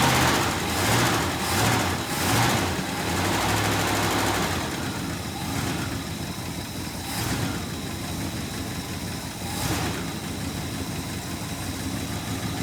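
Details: 1967 Plymouth Fury III 383 V8, first start in 15 years after new fuel pump installed: several seconds of cranking pulses, then it catches and settles into a steady rumbling idle.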